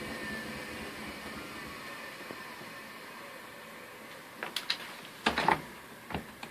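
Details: Front-load Duet washer during spin cycle: steady motor whir, then a few sharp, irregular clunks and knocks near the end; recently started abnormal knocking.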